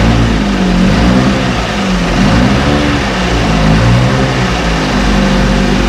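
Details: 1968 Evinrude Fastwin two-stroke outboard, first run, just put in a test tank with fuel, no work done: even idle burble picking up cleanly when revved, no misses or knocks; healthy.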